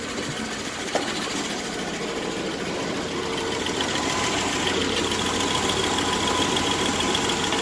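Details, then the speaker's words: Dodge Dakota after new oil pump and bearings, 66 psi oil pressure: even idle with light, fairly regular clicking about three per second; top-end tick persists, source not yet found. "clicking the top is still there I got to figure out what that is"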